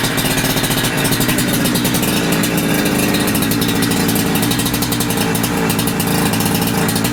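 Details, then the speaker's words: Holzfforma G372XP chainsaw (Husqvarna 372XP clone) with a new carburetor, tuned with a tachometer: a steady, even idle buzz with no stalling or surging. Low end and idle are tuned well; the high-end tune still needs testing in wood. "well that is a very good primary tuneup anyway I have to go stick it into some Lumber to actually get a a high-end tune on it but lowend and idle and and primary right off that seems to work really good I'm happy with that"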